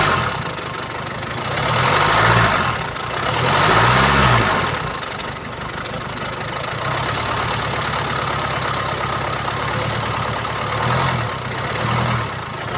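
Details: 2017 Land Rover Discovery V TD4, 2.0 diesel (R4/2.0TD4, 132 kW), 109,695 km: idle with a light, fast metallic rattle over the clatter that swells with each blip, from a stretched timing chain, which can cause uneven running.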